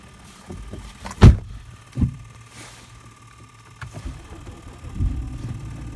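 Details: 2011 BMW 328i xDrive from inside the car: low engine rumble broken by a few sharp, irregular clunks and a click, cause unclear; owner also hears creaking when turning on cold mornings.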